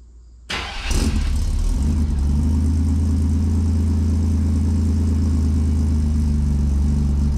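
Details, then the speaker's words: Stock 4.3L V6 fitted with 700hp-capable injectors and a new 16-inch Flex-a-lite electric puller fan, started after the fan install: fires almost instantly where it used to need a couple of revolutions, then holds a smooth, deep, steady idle; normal quick start. "okay well that cranked up really nice uh if you heard before it would you know it would take maybe a couple couple revolutions before it light off but that that time it kicked off like almost immediately"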